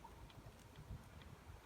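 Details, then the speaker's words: Bugaboo Buffalo stroller chassis after multi-spray lubricant (WD-40 type) applied to the squeaking joint on both sides: only low soft rumble and dull bumps, squeak gone. "So in most cases that should take away your squeaking sound. If you allow it to work a little bit, wait a while, you can see in this case it worked."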